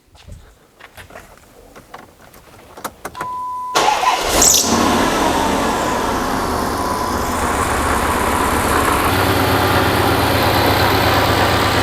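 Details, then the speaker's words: Twin-charged (turbo plus supercharger) Hemi Dodge Magnum with the exhaust cutouts closed. Short crank, then a steady, subdued V8 idle like a stock Hemi, no knocks or misses. Normal idle. "so as you can tell the vehicle runs extremely quiet which is awesome it's kind of exactly what I was going for very tame very subtle when you're just cruising around"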